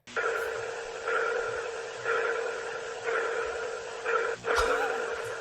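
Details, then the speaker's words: Pulsing sound from a speaker on Boeing Starliner spacecraft docked at the ISS, heard by astronaut Butch Wilmore: hollow sonar-like pulse about once a second, audio feedback in the intercom system; the sound has reportedly stopped. "so that was the pulsing sound from a speaker in BO Starliner spacecraft which was heard by NASA astronaut Butch Wilmore and now it's reported that the sound has stopped"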